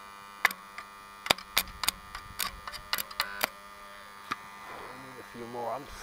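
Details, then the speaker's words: Stick welder ("buzz box") bought at auction, first power-up after teardown and dust cleaning: steady mains hum with irregular crackles and rattles about once a second, transformer rattling, owner thinks bolts need tightening; about 44 V open-circuit. "apparently the Transformers working rattling a little bit maybe we need to tighten the bolts a little bit when it stops crackling"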